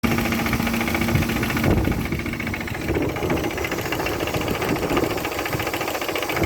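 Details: Opel Vectra B with X18XE engine: steady idle with an irregular knocking at roughly three or four per second; source of the knock unknown, owner asking what it is. Engine knock.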